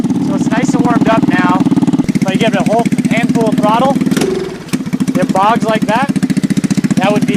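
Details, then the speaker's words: GY6 engine, carburetor being tuned, fully warmed, no choke, target idle 1800–2000 rpm: revs climb then sag into a low, flat bog before recovering; a bog is normally a lean condition, suspected, not confirmed. "generally speaking a lean condition that right there is a bog that's normally a lean condition"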